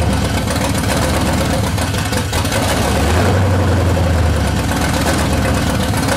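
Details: C30 383 stroker V8 after starter replacement with a high-torque racing unit: deep, uneven idle with a loping, irregular beat that never settles; engine still won't idle, rough idle.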